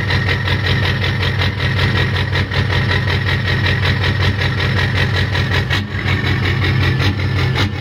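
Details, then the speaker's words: Warm Ford 6.0 diesel, rebuilt engine with 155/30 injectors, custom tune, before swap to 190/75 injectors: deep lumpy idle loping nearly twice a second instead of smooth clatter; rough idle, owner hopes injectors fix it, cause unconfirmed. "so here's the problem I'm having with idle I'll go ahead and start it up it's warm enough now you should be able to hear"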